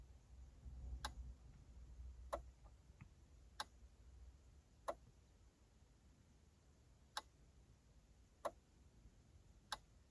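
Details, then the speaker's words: MG ZT/Rover 75 dashboard in a still cabin: quiet, crisp ticks about every second and a half during the instrument cluster self-test, started via the trip reset button in ignition position 1. This is normal self-test behavior. "So this is the self-test of the clocks themselves, and to test your screen and everything else on the dash."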